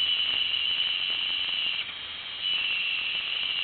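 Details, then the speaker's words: Old 8-10 GB IDE hard drive in an external enclosure: steady high-pitched squeal with rapid irregular ratcheting clicks about four a second at power-up; owner believes the drive is nearly dead and it cannot show reads and writes. "that doesn't sound good I'd be willing to fact that this hard drive is pretty much almost"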